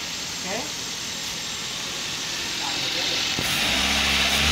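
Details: Toyota Avanza with distributorless ignition: a burst of hiss, then the engine catches at about 3.5 s and settles into a steady, even low rumble. Normal running.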